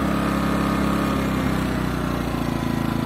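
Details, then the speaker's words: Pulsar G2319N 2300W/1800W inverter generator, warmed up, switched from normal mode into economy mode: soft, steady low hum settling to a slower even pulse, very quiet; normal economy-mode idle. "and even when it wasn't in economy mode i could barely hear it at all out at the end of my driveway which is maybe 80 feet away from this thing and now i probably couldn't hear it at all at the end of the driveway so it's it's a fairly quiet one"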